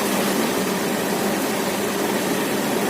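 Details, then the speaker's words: Honda Vario FI scooter after repair for compression loss, flap shimmed: firm, steady hum with no stumbles or dropouts; compression sounds solid and the engine runs evenly, unlike before the repair. "Suaranya agak mantap, kompresinya padat, tidak gampang ngobos yang seperti yang biasa terjadi pada jenis Matic Mio J Honda Beat yang sering mogok di perjalanan karena loss kompresinya."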